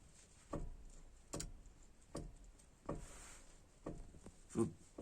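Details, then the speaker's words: Mitsubishi Galant/Aspire 2.0 GDI 4G94 front suspension: sharp metallic knocks about every 0.8 s as the forged rear longitudinal control arm is rocked; its ball joint has heavy axial play, a worn loose ball joint. "вот именно он и стучит очень сильно вот задняя этот шар на его дне стучит конкретно"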